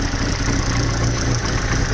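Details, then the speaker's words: Vauxhall Corsa C idling with the engine light on, rear O2 sensor 2 heater open-circuit code (P0141), misfire codes and an exhaust blow. The idle is low and lumpy with an occasional stumble: an intermittent misfire at idle. The rear O2 sensor needs replacing. "there's that misfire so we definitely know that that is going to need a o2 sensor in the rear"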